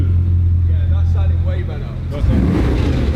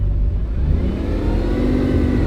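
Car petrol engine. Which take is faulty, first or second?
second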